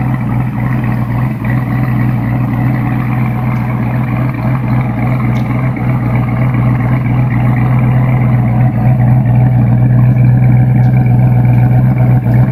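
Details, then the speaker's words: New Edge Mustang GT V8 with Comp Cams Stage 2 cam and springs, correct custom tune, stock manifolds, 2.5" catted H-pipe, Bassani after-cat exhaust: deep, choppy loping idle, uneven beat staying steady; aggressive cam idling cleanly, running well. "I have the right custom tune. It's sounding great, so hang tight and here it comes."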